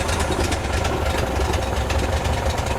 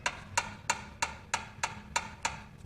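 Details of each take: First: 1972 VW Bus air-cooled flat-four after tune-up and oil refill, started cold: even low burble, steady firing with no knocks or misses; sounds good and runs smooth. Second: 1972 VW bus tune-up, engine rolled over by hand: sharp, hollow clacks about three per second from cylinder two exhaust valve, like a door knocker; excessive valve lash, estimated around 0.016–0.018 in.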